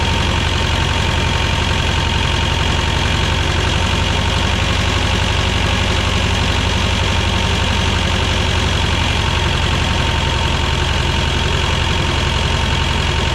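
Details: 1985 Belarus 250AS diesel tractor, revived after sitting 8–10 years: steady even idle clatter with a low rumble underneath, no misses or surging; normal idle.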